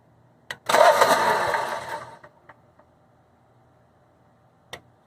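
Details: Generac Guardian Quiet 05244 generator, unused about a year, new battery, fresh 5W-30 oil and filter: a single pull catches briefly, sputters about a second and dies, then faint clicks. Faulty spark plug; runs after new plug fitted.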